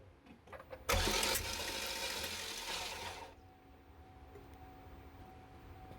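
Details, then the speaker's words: Chevy Equinox cranking with the starter (new starter sounded the same, so the old one was refitted): quick even spin with no compression chuffs, never catches; the timing chain, seen through a side panel, is turning too fast. "I did a video on your timing chain. It's like a little side panel where you can look at the timing chain. I recorded that. Looks like the chain was turning way too fast."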